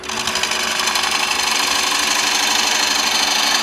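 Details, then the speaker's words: Wood lathe, turning a bowl interior with a bowl gouge that is getting a little dull; the tool vibrates and bounces in harsh, rapid chatter about three pulses a second from too much bevel rubbing, even with the grind swept back. "But I can just feel the tool vibrating. That's telling me I have too much bevel. Even, I just brushed it off. Even with this ground back, it starts to bounce on"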